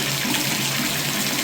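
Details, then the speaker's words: Bathtub drain after service-call clearing work: an even rush of water draining smoothly with no gurgle or glugging, unlike before; the drain now flows freely. "I don't hear that gurgle like I did before."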